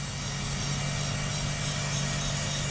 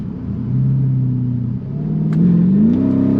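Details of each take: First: Mercedes CLK55 AMG M113, 150,000 miles, running at idle before breather hose replacement: loud, constant hiss over a smooth low idle hum; a huge vacuum leak through a cracked, hardened breather hose. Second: Mercedes CLK55 AMG (M113 V8) test drive after breather hose replacement, intake manifold cleaning, new MAP sensor and vacuum leaks fixed; engine note climbs cleanly with no stumble or hesitation, idle smoother; smooth acceleration.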